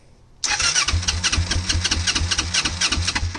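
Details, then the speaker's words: 1988 Kawasaki Ninja 250R 250cc inline twin, possibly first start in about 14 years, choke partly on, fuel tap had been off: engine catches in ragged bursts and keeps dying, starving for fuel. "all right uh it keeps dying it doesn't have the gas"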